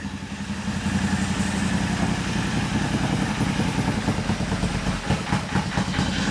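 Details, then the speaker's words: Royal Enfield 650 twin just rebuilt with a Revelry 700cc big-bore kit and new clutch, first start: a slow, loping twin beat at about two firings a second, quiet and even but idling a little low; the ECU has two maps and it is unclear which is loaded. "Oh, this thing. She's idling a little low."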